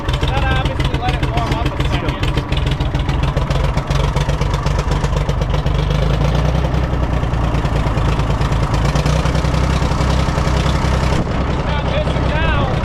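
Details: International 454 British three-cylinder diesel tractor that missed when first started, running in neutral with the air filter removed: steady, even idle with a firm regular beat and no skips. Normal idle; a dirty air filter caused the miss.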